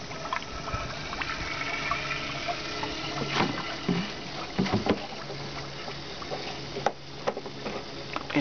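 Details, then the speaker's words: 2006 Prius (2004–2009 method) inverter coolant bleeding, engine not started, power button pressed twice to run the inverter pump: irregular watery gurgling and bubbling pops over a faint pump hum as trapped air purges from the loop. "I'm just going to um push the power button twice, which should start the um inverter pump. You'll hear a lot of gurgling, a lot of"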